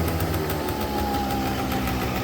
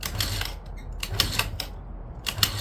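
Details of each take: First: 2009 Yamaha Zuma 50 two-stroke fresh from storage, running on a borrowed battery. Even, quick putter at a steady low idle with no misses, knocks or hunting, idling really good; heavy smoke, suspected from storage oil, may need clearing out. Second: 2009 Yamaha Zuma 50 two-stroke scooter, with fuel squirted into the cylinder. Repeated short starter-cranking bursts, six tries in eight seconds, that never fire because the engine run switch was left off.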